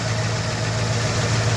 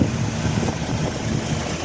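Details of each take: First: 1967 Ford Mustang V8 at idle, started easily that morning, before carburetor and ignition timing work: even idle with a light, quick clacking tick riding on top, called typical and needing a small adjustment; light ticking at idle. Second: 1967 Ford Mustang V8 at idle after the carburetor needle adjustment, with small dirt particles noticed passing: smooth, even idle with a steady low rumble, much quieter than before, with background wind hiss; normal idle.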